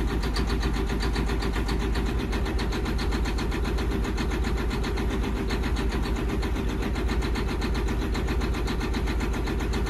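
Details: John Deere 9530 with 13.5L diesel, fuel pressure fault code, at low idle with heavy smoke: loud, fast, uneven, rattly diesel clatter; rough idle with clatter that smooths out at 1350 rpm when pilot injection stops.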